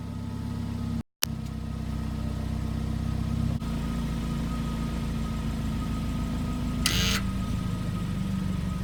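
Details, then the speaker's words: 2015 BMW 328i xDrive, bought used at about 19,000 miles, warm idle after the tailpipe exhaust flap spring was tightened: steady low even drone with no tailpipe rattle; the cold-start rattle still needs checking on a cold day. "so there you go so there you have it fixed and I didn't hear a rattle but we'll see if there's a cold day if we will have the same issue"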